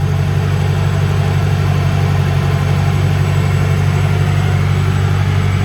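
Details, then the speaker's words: Lexus LS400 1UZ-FE V8 cold start after replacing intake manifold lower plenum gaskets, tightening loose bolts and some injector seals: deep, smooth, even hum at steady idle with no hiss, miss or stumble; idling cleanly. "but uh you can hear it running burning like a kitten"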